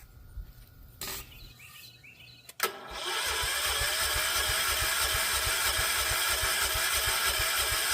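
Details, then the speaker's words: John Deere 314 garden tractor, Kohler K321 single-cylinder, dead for decades, first start jumping the starter solenoid before carburetor swap: cranks, catches, then uneven, rough beat about three firings a second, barely running right; rough running. "All right, that is disgusting. Well, it will run."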